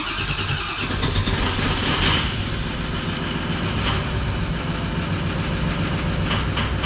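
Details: 2004 Ford 6.0L Powerstroke diesel: long crank finally catching into a rough, uneven idle only with the ICP sensor unplugged, too much pressure at idle; ICP sensor circuit low, crank-no-start.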